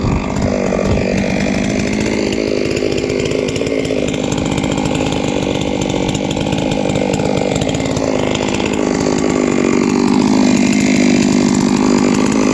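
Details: Three-year-old Huztl-based MS660/066 mill chainsaw, ported 56mm cylinder, after in-field clutch replacement: two-stroke screams at steady high revs under cut load, even and strong with no misses or bogging; sounds healthy.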